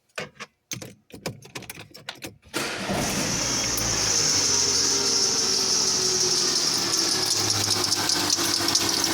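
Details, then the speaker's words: Peugeot 207 Passion (2009/2010), first cold start of the morning: a loud chirping squeal over the idle and the engine shakes. The AC/power-steering belt is new, the second one fitted. Noise stops when warm or wet; owner suspects a bearing. Accessory belt squeal. "carro barulho chato e ele treme E é só quando o motor tá frio depois que ele esquenta ele para"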